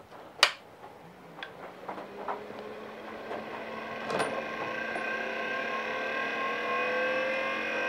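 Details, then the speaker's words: DEC VAXstation 2000 hard drive spin-up during teardown: a few sharp clicks, then whine climbing in pitch as platters spin; sounds rough and seeks sound incorrect. "sounds a bit rough and the seek doesn't sound correct but anyway we'll put it back together and see what happens"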